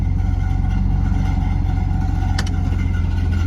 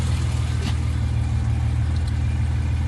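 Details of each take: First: 1970 Mercedes 280 SEL, engine running: regular clunk about three times a second after the power steering belt came off and the pulley came loose; a loose nut where the belt ran is hitting the fan, steering heavy. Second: 1970 Mercedes 280 SEL idling after replacing the detached power steering pulley and reinstalling the repaired radiator: steady even low hum with no knocks or ticks; belt fine, no coolant leak, temperature normal at 180 to 200.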